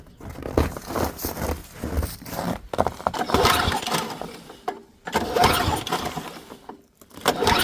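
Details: Ariens ST524 snowblower with very dark, dirty oil, refilled with gas after the tank was bone dry, primed, key on, choke on: several rattling pull-cord bursts spin the engine over, but it never fires. It cranks but won't start.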